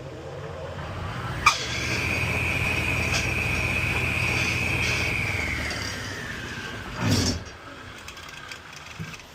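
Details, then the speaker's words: 1 hp 3450 rpm GE capacitor-start table saw motor with bad 6203 bearings: high, steady whine over a coarse low rumble as it spins, then sags and dies away, not spinning freely; worn motor bearings. "So, the bearing on this guy was changed, but not on the motor, so it needs some work."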